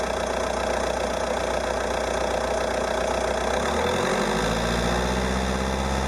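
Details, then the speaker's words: Peugeot 308 1.6 HDi 90hp diesel, 30 months old, 66,000 km: cold idle at about 820–825 rpm with a rhythmic clatter of about 150 per minute that shifts as revs rise slightly. Owner reports no more noise from about 880–900 rpm; cause not identified. "Donc 825 tours minute claquement, 880 plus de claquement."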